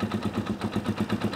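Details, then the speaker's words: Dirt bike barely above room temperature: lumpy, loping idle about eight beats a second while the fuel/air screw is adjusted; much better than before but owner suspects still lean on the idle circuit. "see how it's it's much better than it was but it's definitely sounds like it might still be a little lean on the idle circuit"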